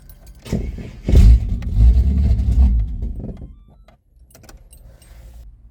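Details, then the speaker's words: Ford AU Falcon turbo ute on a modified tune after failing to stay running on a purchased flash tune; injector flow rate roughly doubled: engine catches with a low rumble, runs roughly about two seconds, then dies; starts then stalls. "It's running. It just did basically the exact same thing."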